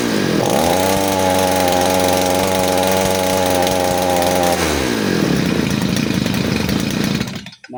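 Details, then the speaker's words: Side-mounted brush cutter with carburettor mixture screw deliberately loosened as an over-rich example, nylon-line setup: steady high buzzing two-stroke holds a flat pitch, then sags and burbles unevenly dropping back; too rich, fuel-hungry and powerless. "Ketika bunyi seperti ini itu mesinnya sangat boros dan tidak bertenaga."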